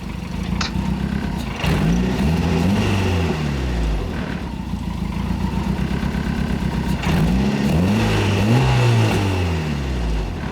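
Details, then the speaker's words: Turbo Miata on an e-tune with the idle now set up properly: revs rise and fall over the idle with sharp exhaust cracks on the overrun, so the exhaust pops and spits fire; the tuner says this isn't bad for the engine. "And there's a fire right there, I heard it. Yep, it's been fire."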